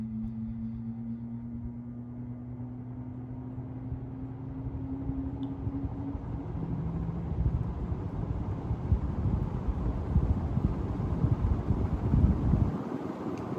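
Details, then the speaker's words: Restored 1938 Emerson 87641-AK PSC Roundnose antique ceiling fan started on high: low steady hum slowly climbing as the very heavy blades come up to speed, even air rush, no knocks or rubbing; normal healthy spin-up. "these normally get up to speed really quickly but but uh these are just really heavy blades takes a little bit of time"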